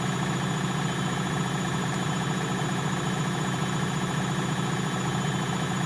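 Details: Bosch WFL246SGB/01 washing machine on an Easy Care 40° test wash, fast spin: steady, even drum hum with no rumble or grinding; drum bearings sound fine.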